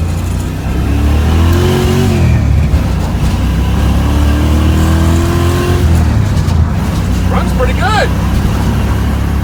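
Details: 1966 Mustang on a test drive after installing a Spectra EFI tank with in-tank pump; it used to cut out under heavy throttle: revs pull up in smooth rising sweeps, no stumbling or cutting out, pump whisper-quiet; normal acceleration.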